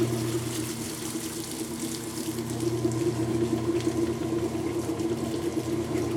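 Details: Kenmore washer, sat about six months and stopped halfway through wash cycle, broken lid switch bypassed: steady low hum with rushing, gurgling water running evenly; now pumping out normally.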